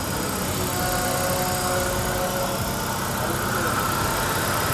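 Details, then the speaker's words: 2008 Hyundai Avega after replacing timing belt, tensioner and fan belts: steady, even idle with smooth low hum; earlier noises gone, no rattles, squeals or knocks, smoother than before. Normal idle. "Sekarang, saat mencoba menghidupkannya, suara-suara itu tidak terdengar lagi. Tidak ada yang aneh, dan ini bagus sekali, kawan."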